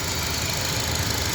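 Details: 2004 Honda Accord that vibrated after a poor tune-up elsewhere; after plugs and throttle body were serviced, a steady, even idle with a low hum and hissy top end, no stumble.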